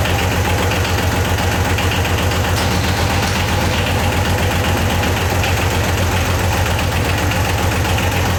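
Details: Yanmar YM276 diesel tractor on start-up after clutch replacement: steady, even low chug with no misses or odd knocks; idling healthy.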